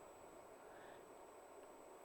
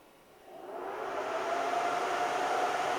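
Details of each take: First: Alta Labs S48-POE network switch after fitting Noctua 3-pin fans: a soft, even rush of air with a faint high tone, no rattle or buzz; plenty of airflow, far quieter than stock. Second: Alta Labs S48-POE network switch with its stock fans, before the swap to Noctua NF-A4x20 FLX fans: a loud, steady airy whoosh with a faint tone rises within a second, holds, then eases; the fans are noisy in a quiet room.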